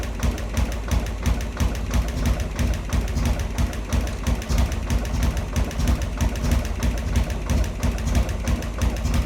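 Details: Harley Sportster freshly converted to 1275cc Hammer Performance kit with a Dynatek ignition module, 30-second first run-in between cooldowns: low, lumpy, uneven thumps about three per second. Rough idle; idle speed screw later adjusted.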